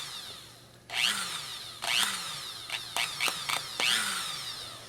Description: My Dremel tool has been knackered for years now. The motor brushes apparently have worn out.